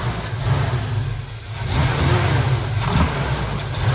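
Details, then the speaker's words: Chevrolet needing choke to stay running: the engine note sags on quicker throttle as if about to die, then picks back up, though it's fine going slow. Owner suspects the carburetor, timing, or fuel delivery. "it's like it's gonna die and then it goes back up it shouldn't do that so it's definitely gonna be something with the carburetor or maybe the timing again"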